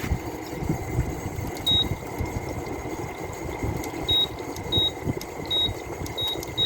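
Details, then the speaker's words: Small low-end Fedders window air conditioner, first test after reassembly, front grill off: fan spins up fast with rough noisy rush over a steady hum, plus short high control beeps; owner thinks fan motor may need replacing. "fan motor has a bit of a speed to it"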